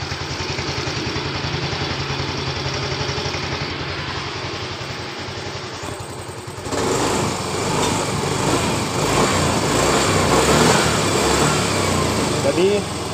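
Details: Yamaha Mio S scooter after repair of a ticking noise blamed on the engine having run out of oil: smooth even idle, steady beat, no top-end ticking, light throttle blip; normal idle.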